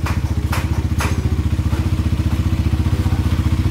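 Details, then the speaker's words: Motorcycle engine after repair of a piston knock that grew louder and scored the block, now in break-in: steady, even thumping at about four beats a second with no knock or scrape, quiet and healthy idle; budget repair. "Tahimik na, sir, ha? Ito, guys, all good na to. Narinig nyo naman, tahimik na."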